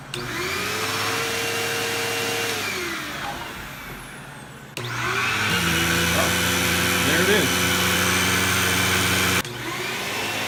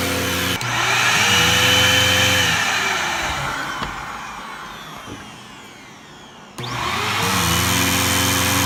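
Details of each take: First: Bissell CleanView II Plus 3576M 12-amp bagless vacuum, previously losing power with a strange sucking sound, after cleaning and reassembly: motor spins up to a steady even hum with no sucking or gurgling; running normally. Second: Bissell CleanView II Plus bagless 3576M 12-amp vacuum with power loss: motor spins up with thin, wavering whistle and hollow sucking roar, a weak sad sound, then winds down; owner suspects loss of vacuum, not yet opened.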